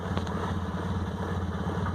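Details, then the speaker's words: 1998 Honda Accord: runs fine held at about 2000 rpm, but released it idles far too low with lumpy, uneven blubbering pulse; hesitates, many codes stored, cause unknown. "but once I let off it idles way way way way way way way down and that blubber blubber rubber glove so"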